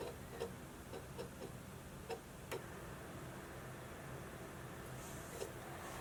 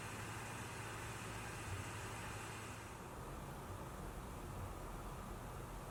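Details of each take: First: Modified 60GB PS3 fitted with a 19-blade fan instead of the stock 15-blade and an updated power supply: a steady fan hiss with scattered sharp ticks as the disc drive reads periodically and noisily. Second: PS4 Pro console fan under heavy game load, working hard but able to lower its speed slightly; top around mid-to-high 40s, rear vent 55–60; only a soft, even airy hiss with no whine, buzz or rattle. Quiet fan, normal.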